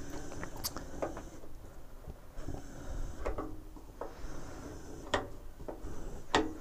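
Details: 2008 Bailey Ranger 500/5 caravan gas hob after all rings were lit then shut off: a few faint irregular ticks from the burners as they cool, normal flame failure device noise.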